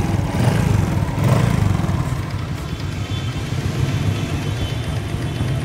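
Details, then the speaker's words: 2017 RS 125 carbureted single-cylinder motorcycle idling with a loose, uneven ticking clatter over its low thump, music behind; owner does not know the cause. "So nakikinig ninyo is meron talaga siyang lagitik na hindi ko alam kung anong sir"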